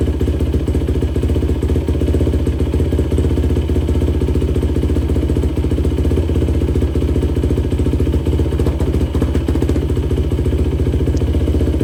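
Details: 2004 Yamaha YFZ450 quad after sitting, carburetor cleaned for a clogged pilot jet and new ignition fitted, on a freshly hooked-up battery: steady, even single-cylinder thump at quick idle, no misses or stumbles; fan kicks on, not overheating. Normal running.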